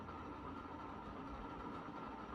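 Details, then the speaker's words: 36-inch Moss Caribbean Breeze ceiling fan running at medium-low: a steady rumbling whir with a gritty ring near 1 kHz from worn, noisy bearings. "as you can hear the bearings are quite noisy"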